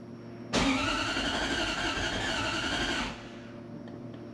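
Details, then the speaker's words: Supercharged (M90) Toyota 1UZ V8 in a Prado, first start after fitting a new wiring loom: cranks then catches with a harsh, uneven roar for about two seconds before dropping back; suspected lean running, needing more fuel (not confirmed). "ouais ça a l'air bien je je pense qu'il a besoin d'un peu plus de carburant désolé je pense qu'il a besoin de plus de carburant"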